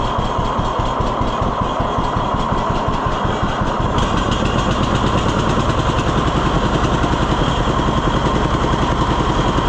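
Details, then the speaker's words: 1948 John Deere B tractor after Wico X magneto maintenance fixed its ignition: steady, even two-cylinder putt at idle with regular firing pulses and no misses or stumbles. The idle holds and sits lower than it would ever go before. "It would have never done that before. Listen to how low it idles."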